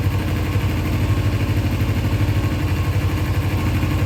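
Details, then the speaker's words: 2000 Kawasaki Ninja 250, carbs not yet rebuilt: low lumpy idle about three pulses a second, uneven and loping, never settling; idles rough, carb rebuild still needed. "All right, looks like we got it to an idle, somewhat. Still not happy."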